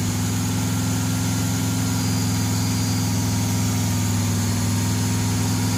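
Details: Burned 1968 Pontiac GTO being revived, running on its Quadrajet carburetor after priming and first start. A deep, steady V8 burble with even pulses and constant pitch, with no misses or knocks. Normal idle.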